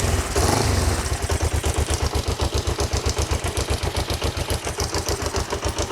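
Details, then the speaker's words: Kawasaki GPZ 500S twin, left outside three to four years and bought for £20, running on its first revival: steady, even low idle thump of about four beats a second with no misses or knocks, and not very smoky. "I am well chuffed and not very smoky either"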